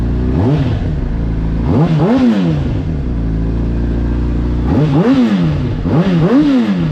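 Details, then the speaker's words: 2007 Honda CBR600RR, rough shape with stretched swing arm: crisp inline-four blips rising and falling cleanly in pairs, no knocks or rattles; motor sounds good, normal revving. "but I mean the motor sounds good, it runs good, and I think we're gonna be able to salvage this thing."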